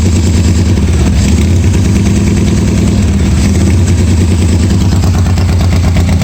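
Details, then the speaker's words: 1986 Harley-Davidson Softail V-twin at its first start after a starter and wiring repair, no air cleaner and no choke, oil pressure unchecked; loud, deep, steady potato-potato idle with no stumbles or knocks; charging despite bad wires; normal idle. "it's probably some of this junk right here but it did start and run and even with the bad wires it's charging so at that point it's uh kind of worth working on don't really sound too bad"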